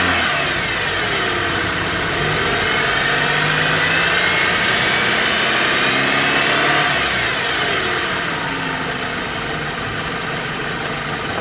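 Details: BMW E90 engine with a thin whine climbing and falling with each throttle blip and settling at idle, pointing to something belt-driven; belts and bearings being checked.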